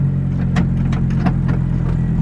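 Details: Miata creeping forward: low steady engine hum with several sharp metallic clunks at uneven intervals, felt when braking and moving off, from a loose rear differential/subframe mount, later fixed.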